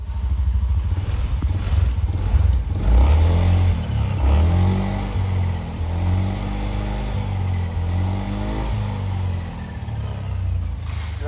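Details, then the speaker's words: Honda Scoopy scooter that stalled and would not idle, after major service with dirty throttle body and worn spark plug addressed and fault history cleared: engine blips up then holds a steady idle at 1500 rpm; normal idle. "Udah langsam ya, Guys, ya. Tuh, RPM-nya udah di 1500 ya, Anjir."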